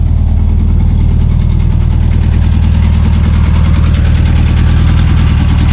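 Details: Revived 1974 VW Super Beetle, off road since 2002: steady low air-cooled thrum at idle, even beat with no misses or knocks; healthy idle.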